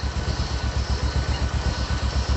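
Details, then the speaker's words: Honda Supra X 125 motorcycle idling after repair: steady even putter, no small ticking that had occurred at mid RPM. The sound is good and the problem is likely resolved. "Oke, mungkin itu saja; Suaranya bagus, semuanya baik-baik saja, jadi kemungkinan masalahnya sudah teratasi."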